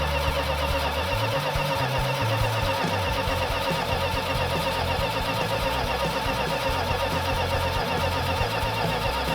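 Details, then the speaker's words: Rebuilt 340 V8 in a 1970 Cuda that sat a year, compression since restored, holds a fast idle near 2000 rpm from an intake vacuum leak, with light metallic tapping; rockers removed to check for plugged oil galleys or cracks. "but now we've got an intake leak vacuum leak so it didn't want to idle under 2000 RPM and we've got to tap it that's making noise or some kind of metallic noise that sounds like a tap it"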